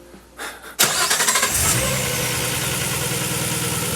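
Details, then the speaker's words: RB-powered (GT-R engine) Datsun 240Z with turbo and ITBs on the dyno, dipstick clean of metal: starter whirr, catches, brief flare, steady even idle with no knocking. "that sounds fine sounds fine"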